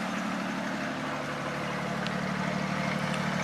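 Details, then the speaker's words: 1940 Plymouth DeLuxe P10 with original 201 ci flathead straight six, started after sitting 25–30 years: rough uneven idle with raw open puffing from underneath, broken exhaust leaking mid-car and at the rear. "back here hello all right we have a broken exhaust I can hear it's coming out in the middle somewhere as well as all the way back here in the rear"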